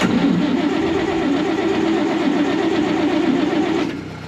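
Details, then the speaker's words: 1965 Clark Cortez motorhome Dodge V8, after valve stem seal replacement, stalled after brief run and now won't restart despite starting fluid and throttle opening: starter churns unevenly about four seconds without catching; crank no start, cause unknown. "Starter fluid draining और, यह अच्छा दिखने के बावजूद, यह अभी भी काम नहीं कर रहा है।"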